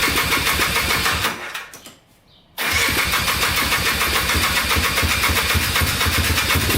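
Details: Polaris Trailblazer 250 two-stroke quad, first start after cheap top-end kit, cleaned and rebuilt carburetor, new air filter: catches after a short pause, then quick, steady idle on choke; clean start, running normally.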